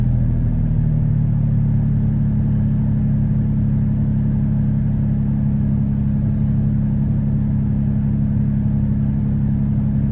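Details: 2013 Dodge Durango V6, P0300 multiple misfire on cylinders 1, 3 and 5 despite a new coil and plug: steady low idle with an uneven, lumpy beat and no clear rhythm.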